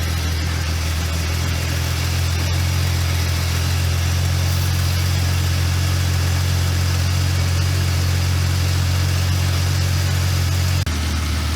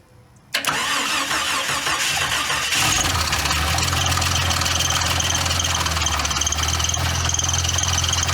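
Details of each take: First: Jeep XJ Cherokee sitting over a decade, revived after cooling system work, running with water through radiator: steady, smooth, quiet idle with even low hum and no knocks or squeals. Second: Jeep XJ Cherokee sat over a decade, first start after reconnecting cooling system: cranks, catches, fast idle with uneven clattering rattle like something loose up front; owner says something sounds not tight; rattle on startup, cause unconfirmed.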